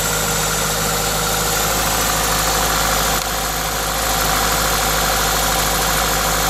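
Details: Toyota 2ZZ-GE four-cylinder with an induction kit: smooth, steady idle with a constant airy hiss from the induction kit, no knocks or misses; normal idle.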